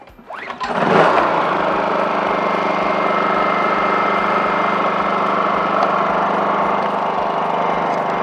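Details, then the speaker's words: Honda 2000 generator that surged at idle after sitting with fuel in the tank, heard after the fix with carburetor and air filter reassembled: it starts quickly and settles into a smooth, steady idle with no surging. "just listen to that baby purr what an improvement rarely do my diy projects go this smoothly"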